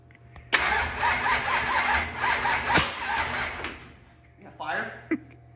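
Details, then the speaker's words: 25-year-old SBC 400 small-block V8 race engine, freshly rebuilt, about three seconds of rough cranking with a few weak pops that never catch; ignition timing 180 degrees out, things put in backwards. "no not yet I me it's it's 180 leave it to you to put stuff backwards"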